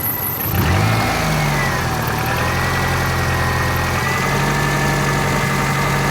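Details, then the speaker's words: Bone-stock 2000 Subaru Forester S Limited, cold start with the temperature gauge still reading cold: starts, flares briefly, then settles to a smooth, steady idle around 800 rpm with no lifter tick or piston slap; normal idle. "around eight hundred steady yeah revs very smooth"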